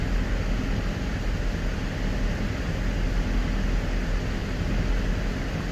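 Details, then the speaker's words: 2005 Dodge Magnum after front rotor replacement, warm at about 185°F with fans set at 185: steady even rushing of air over a low engine hum, no rattle or surging; radiator fans running normally. "the fans are set at 185 so I don't know if you can hear it but the fans are on right now and I believe they'll kick off at around 180 so we'll let them run for a second"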